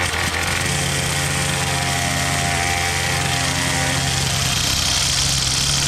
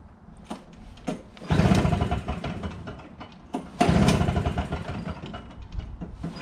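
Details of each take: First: Troy-Bilt TB22 two-stroke trimmer with new carburetor, new string and a cut-down bump-head spring: steady, even buzzing note with no stumbling or surging; running smoothly after repair. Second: Troy-Bilt TB22 two-stroke weed trimmer, cold start after carburetor replacement, excellent compression; repeated slow pull-cord cranks spin the engine without catching because the tank is dry; owner then adds 50:1 TruFuel.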